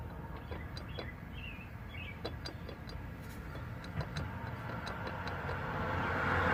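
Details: 1997 Toyota 4Runner at 0–5 mph: faint, uneven light taps from the middle area near the transfer case as the driveshaft starts turning; fixed by replacing the propeller shaft and tightening a loose transfer case bearing nut.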